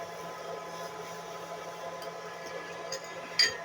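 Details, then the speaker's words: Water heating element powered directly by a single solar panel: soft continuous hiss with faint crackles as water has boiled off and left the element exposed. "पानी heating element से बाहर निकल चुका है। अब फिर से फुफकारने की आवाज़ आ रही"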